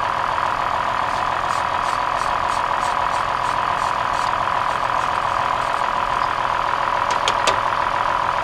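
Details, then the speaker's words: 2003 Toyota Highlander idling with flashing check engine light: uneven stumble about three or four beats a second as one cylinder drops out, found by unplugging coils one at a time; failed ignition coil, engine smooths after replacement. "oh look at that notice how the engine smoothed right out that little bit of that little bit of trembling that we saw is now gone"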